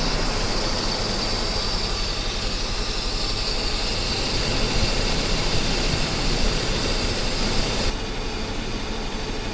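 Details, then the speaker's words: Mercedes 560SEL V8 idling after new spark plugs and wires, cold start with fuel still priming; idle still sounds a little off, uneven pulses under a steady hiss instead of a smooth beat. Rough idle not fixed, owner suspects another cause. "I'd say it's running a little off"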